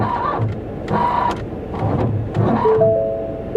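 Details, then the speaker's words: 2021 Ford F-150 XL 4x4, under 60,000 miles, with suspected suspension damage from an impact: spaced dull thumps, the electric steering motor audible, then a steady two-note steering assist fault warning chime. "steering assist fault yeah you can hear that electric [Music] motor"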